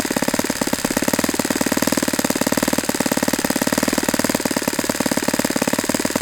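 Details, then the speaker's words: Saito FA-91S model aircraft engine at low idle, aiming near 2300 RPM, after pinch test: fast, even popping beat with no misses, holding and settling nicely; maybe slightly lower than it wants, but healthy. "That might be a little bit lower than it really wants to sit at, but I like the idle. This is a good sound."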